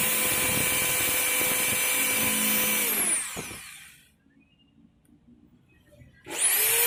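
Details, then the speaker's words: Makita HR2230 rotary hammer, weak and powerless before service, test-run after fitting the 627 bearing and wave spring: strong, even high whine at full speed, smooth spin-down with no rattle, clean restart; power restored, motor sounds healthy. "OK, great, the power has recovered again"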